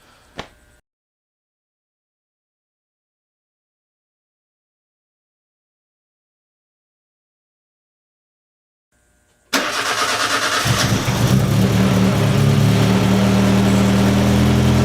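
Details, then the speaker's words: Turbo petrol engine after pulling and refitting oil pan, cold start: cranks, catches, settles to steady even idle with faint light knock, slight piston slap that goes away when warm. Normal cold start with slight piston slap. "Well, sounds good so far. I don't hear anything that sounds concerning. A little bit of piston slap, but that goes away once it warms up."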